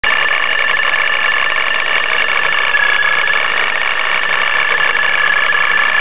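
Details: Nissan 350Z with Vortech supercharger at idle: loud, constant metallic chatter with a high steady whine over the idle, a harsh rattle from the supercharger area, cause unknown; sounds like the car is falling apart.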